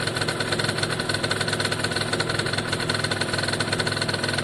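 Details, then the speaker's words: Italjet Formula 50cc two-stroke paddock bike after carb and fuel tap work: a crisp, even idle with a quick steady buzz, no misfires or rattles; owner says it looks and sounds very happy; normal idle. "Yeah, I'm very happy. This thing looks very happy. looks and sounds very happy."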